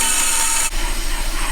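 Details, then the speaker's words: Bandsaw blade cutting a curve too tight for its width, binding again after a first relief cut. The raspy cutting hiss drops and goes dull partway through. Another relief cut on the scrap side is needed. "There it is, binding again."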